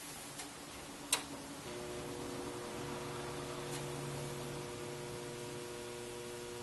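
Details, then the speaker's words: NuTone IM3003 radio intercom master station on the bench with speakers, before repair: steady low hum with faint higher tones right after switch-on, the common loud background mains hum fault. "and if you listen carefully you can hear the hum"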